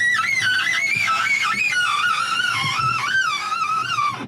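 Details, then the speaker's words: BMW Mini Cooper power window, before repair: a loud, wavering high-pitched squeal through the whole glass travel, cutting off when the window stops. "But our next port of call, and our awful noise that we want to get rid of, is this window. I shall demonstrate that now."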